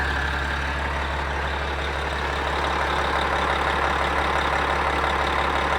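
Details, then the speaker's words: Rebuilt Caterpillar 3406E diesel in a D400E Series II haul truck, first start after rebuild: deep, steady idle, no knocks or misses; good oil pressure, blow-by gone, Jake brakes still unfixed. "runs good sounds good it's got good oil pressure no blow by way way better than what I had when I started"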